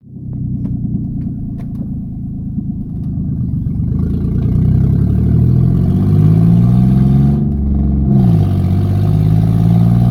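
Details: Ford Mustang idling with a rough, puffing chuff, then revving with the low note rising and falling; exhaust leak suspected, not confirmed.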